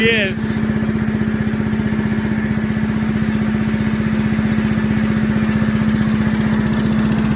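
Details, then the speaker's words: Little Wonder 13HP high-output blower after fitting a new plug: steady even single-cylinder drone with constant blower tone, no dinging, knocks or rattles; normal running. "all right no more noise no more anything let's shut the fuel off because these things like the fuel to be off when you're not running"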